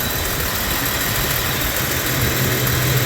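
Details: 1996 Jeep Cherokee XJ idling; uneven loping idle with no steady beat under a mild rattly hum; timing mark jumps 10–15 degrees and worse with rpm, power loss on acceleration; crank and cam sensors already replaced, so a slipping timing chain is suspected.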